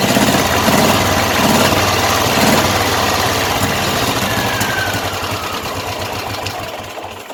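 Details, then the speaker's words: Old airport tugger with Zenith carburetor just rebuilt, dry fuel system, running on choke: fairly even but slightly lumpy small engine beat that fades off; engine running again, adjustment still to do. "Well, she fired up, so we're gonna get everything adjusted out and we'll come back."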